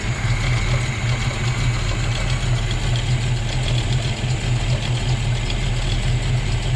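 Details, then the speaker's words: Volvo B18 with a Weber 32/36 carburetor, engine warm, idle mixture screw at its base setting: weak, lumpy idle with a faint intake hiss, barely running; lean rough idle. "you can hear it there's like a hissing yeah so it's running very lean"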